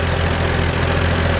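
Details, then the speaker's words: 1947 Chevrolet 3100 with its original 216 six, converted to 12 volts with a new alternator: steady, even low idle with a light lifter tick on top; a healthy engine, plus a small squeak the owner suspects is the belt. "But you can just hear the lifters in there. It's just nice and healthy. That's a 216."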